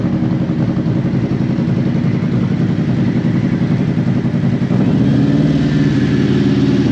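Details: Used 2018 Harley-Davidson CVO Road Glide inspected before purchase, idling about 1000 rpm: even loping V-twin thump, deep exhaust note, no knocks or ticks; healthy warm engine, no motor noise.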